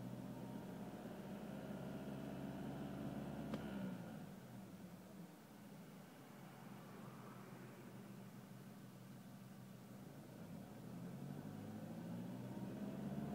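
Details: BMW E46 with N46 (N42) engine: faint buzzing resonance over the engine drone around 2,200 rpm, caused by the loosened crash-breakaway bolt in the steering column; replacing the bolt cured it.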